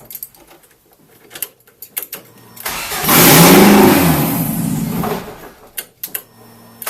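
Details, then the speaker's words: Ford Escort Mk6 van under restoration, first start: engine cranks and catches with no exhaust fitted, a harsh, very loud raw roar for about two seconds that fades; loud running without exhaust. "i forgot exhaust weren't on so it's going to be mega loud"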